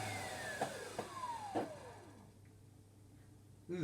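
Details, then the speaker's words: 1987 Numatic Henry HVC200 vacuum cleaner on its first test after reassembly: motor whine coasts down with dull knocks, then restarts with an uneven rattly roar. Runs rough; owner suspects motor bearings and plans a motor rebuild. "that runs horrible. So, yeah. Right, we'll sort him out. It's probably bearings. That definitely sounds like bearings, that does."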